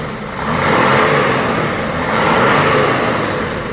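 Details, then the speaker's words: 1995 Mercedes-Benz E300 diesel (W124), inline-six, over 250,000 miles, warm, hood open: clean diesel clatter rises twice and falls back smoothly, no knocks, misses, rattle, timing chain slap or blow-by; healthy, strong-running engine. "I mean this motor to have over a quarter of a million miles I mean it runs like it's it's the best"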